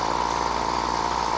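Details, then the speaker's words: Old Maxi Trim two-stroke pull-start petrol strimmer with a faulty choke, choke backed off: steady buzzing run with a slightly soft, burbly edge; carburettor mixture now set too rich. "let's go you come in a bit I think that's really rich now"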